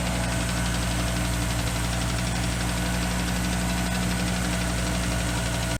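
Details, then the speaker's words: Audi after new timing belt, water pump and hydraulic lifters: loud steady idle with rapid, uneven tapping about four a second near the distributor, shaft moving under gear load; no misfire, owner suspects bearing or missing spacer, hopes new distributor fixes it. "you're just making a knocking noise and it almost sounds like it's coming like it's like bearing or something like that"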